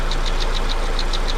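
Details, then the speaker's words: 2001 Ford Focus just after an engine rebuild and fuel pump replacement, at idle: light, crisp ticks about seven per second over a steady idle. Top-end tapping, cause not pinned down. "that tapping sound sounds like it's from the top"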